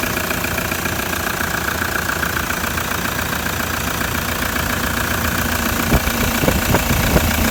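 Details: Older, noisier diesel engine after cold start: even clatter at steady idle with no uneven knock or change in rhythm; normal diesel idle.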